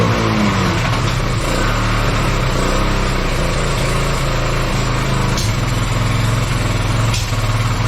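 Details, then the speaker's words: Kawasaki Bayou 220 ATV that sat for 8 years, after freeing throttle and oiling cylinder: strong steady single-cylinder beat, clean revving, no knocks or rattles, some smoke clearing up; normal running. "oh well all right sounds like it runs just fine um it's almost like it was clearing itself up um but Smokey in here um yeah should run fine now"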